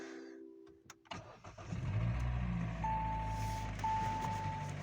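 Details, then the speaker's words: Hyundai i40 2.0 L 4GNA, oil-consuming, before overhaul: after start, dull fairly regular knocking under rough cold idle, not holding idle; piston slap from scuffed cylinder walls. "Это у нас чуть-чуть поршневая группа."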